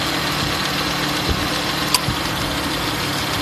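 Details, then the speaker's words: Subaru Outback at steady idle: sharp click and brief high chirp as the AC compressor's magnetic clutch pulls in and slips slightly; this is normal clutch engagement. "When that magnetic clutch pulls this shut, there's a little bit of slippage in there. And I mean, that's normal, it's the way it's supposed to operate."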